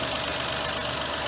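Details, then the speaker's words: Mitsubishi Mirage at 120,413 km just after a DIY oil change with ZIC 5W-30, warming up the oil, heard outside the car; steady, even idle with a soft hiss, no knocks or ticks; normal idle. "Check natin yung tunog sa labas. Normal naman dito sa loob ng sasakyan."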